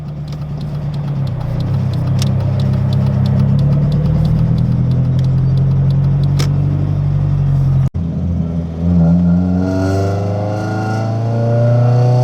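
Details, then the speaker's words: Newly bought Honda project car (EM1) running: light, fast ticking over the idle that follows the revs up and down; a small tick in the motor, owner hopes a valve adjustment will fix it. "It does have a small tick in the actual motor. So we lowered them down just a little bit. Hopefully it's just like a valve adjustment that'll fix it."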